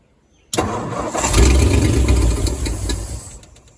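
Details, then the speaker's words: 1940 Ford coupe that sat over 20 years, primed with gasoline poured down the center carburetor and no fuel lines hooked up. It fires at once and rumbles roughly for about three seconds before the fuel runs out: normal start. "What do you guys think of that? It's alive after over 20 years of setting."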